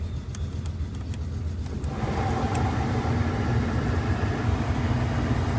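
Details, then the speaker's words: 1981 Buick Electra Limited at idle with a new AC switch fitted: light ticks, then a strong, steady rush of air rises over the engine idle and holds; blower running at full strength. "as you can hear it blows strong now very nice and it makes the proper Equalization noises and such"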